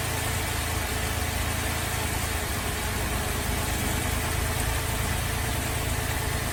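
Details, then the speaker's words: Holden VZ Adventra Alloytec V6 running very rough at idle, coils disconnected one at a time: uneven, lumpy idle with irregular low thump and stumbles; misfire traced to failed number 5 ignition coil pack. "So I'm going to start the car up. It's running very rough and we'll disconnect a coil at a time and see which one we think is bad."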